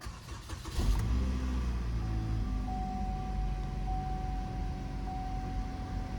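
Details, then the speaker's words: 2.4L Chevy Equinox/GMC Terrain started right after a throttle body cleaning and PCV hose refit. It catches quickly and settles into a steady, even, smooth idle with no stumble or misfire. "So that was actually pretty nice and smooth."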